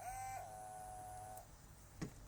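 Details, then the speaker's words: XR5 turbo project car, electric pump tested by connecting 12 volts in the car: a quiet steady whine holds about a second and a half, then stops; the pump spins up and engages, working. "what we're listening for is we're listening for the pump firing up when I connect 12 volts"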